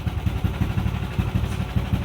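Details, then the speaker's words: Yamaha Aerox 155 with an overheating problem, cooling system bypassed and coolant circulation checked, idling with a 63 bore setup; even low putter of about six beats a second with no misfires or clatter, healthy idle. "At least sumandar na. Yan yung tunog ng 63."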